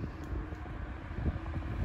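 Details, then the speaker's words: 1980s Sanyo 9-inch oscillating fan (2-speed shaded-pole C-frame motor), unoiled before restoration, bumped to speed two (high), a big jump from low: soft even whoosh with a faint steady hum and no rattle or scrape; running normally. "yeah now that's a big improvement or i should say a big jump from low speed it was pretty quick"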